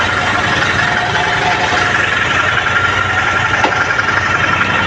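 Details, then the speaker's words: Royal Enfield GT 650 after repair of misfiring, stalling and starting complaint: loud, steady twin idle with even rumble, no stumbles or misses; every beat now correct, complaints fixed. "വണ്ടി ഇപ്പോൾ എല്ലാം perfect ആയിട്ടുണ്ട്, നല്ല വർക്കിങ്ങാ. ഇപ്പോൾ എല്ലാം ഓരോ ബീറ്റായിട്ട് കറക്റ്റായിട്ട് work ചെയ്യുന്നുണ്ട്."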